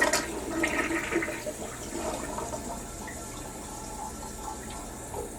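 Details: Toilet on a shared stack after cleaning with drain products: strong flush rush that quickly thins to a weak, fading trickle instead of a full draw-down; drain still partly clogged.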